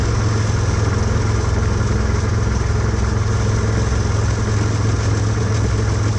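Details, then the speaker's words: Husqvarna hydrostatic lawn tractor idling: a fast, tinny metallic rattle. A spring near the brake/clutch pedal touches the bottom of a bracket, and touching the spring stops the noise. "Okay, so what I did was, I could, when I would touch that spring, I don't know if you could hear, which was kind of stupid, I was sticking my finger in there, but it was, I could tell it was touching the bottom of this, and when I would touch it, it would stop making noise"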